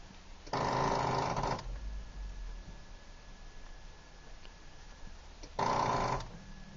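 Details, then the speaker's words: Demolition derby car started after winter storage, likely low on gas, lights and tape player working: two short bursts of harsh grinding, engine never catches; no start, owner guesses dead battery. "we got nothing. Nothing but that grinding noise you hear. Nope. Well, I'm guessing the battery's dead."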